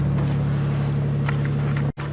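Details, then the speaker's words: Plow truck in cold weather, after a fuel pump repair using a bucket: a steady even low hum with a smooth firing beat and no knocks or stumbles, the engine running cleanly. "it's a success oh man I were glad to hear that run again okay you see we did a heart transplant here"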